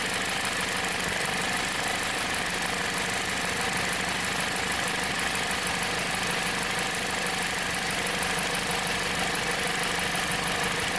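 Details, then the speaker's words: 2007 Jeep Compass four-cylinder at idle: rough uneven stumble as cylinder 1 drops out when the coil harness is wiggled, a broken ignition coil 1 wire in the main harness; codes P0301 and P2302. "n this piece see which cylinder that is yup it is number one and if i move it back it gets better it gets worse"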